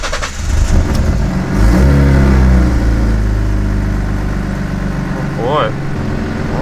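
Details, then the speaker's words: Supercharged V6 Mustang, first startup on new E85 tune with increased boost: cranks, catches with quick rev, settles into even idle without surging or hunting; normal. "she's idling. That's a start. It's not surging, so that's a good sign so far. She started up. That's the first half of the battle, I guess. And she's idling good"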